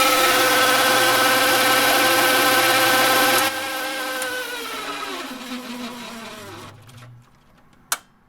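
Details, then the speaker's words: Hammond M101 organ tone generator, unplayed for many years, started after oiling: a rough hissing whir with a steady hum that winds down once power is cut. A bad bearing is suspected; more oil is being tried. "that sounds like a bad bearing not good"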